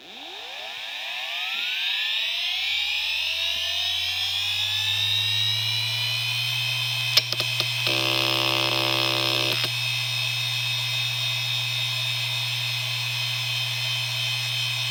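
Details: IBM Deskstar 120GXP 123.5GB 7200 RPM hard drive (IC35L120AVVA07-0, 3 platters) spin-up and spin-down: rising whine settling into a loud piercing high-pitched drone; bad spindle bearings suspected.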